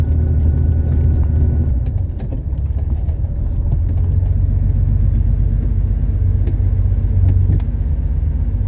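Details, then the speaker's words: 1970 Porsche 911T flat-six under hard acceleration on its road test: deep, steady exhaust rumble pulling cleanly through the rev range, with no knocks or misses. Normal engine under hard acceleration. "But that was a good reward. This thing rips, and I'm stoked. So we got to keep working on it."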